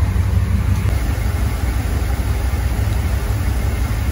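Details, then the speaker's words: Land Rover Defender 90 with swapped Chevrolet 6.2 L LS V8, Dynomax Super Turbo muffler, oil topped off and air cleaner fitted, nearly warm (192°F): steady, even low exhaust rumble, no misses, knocks or ticks; smooth normal idle. "you guys listen to the exhaust really nice mellow Rumble really idling nice starting to really come together and sound smooth"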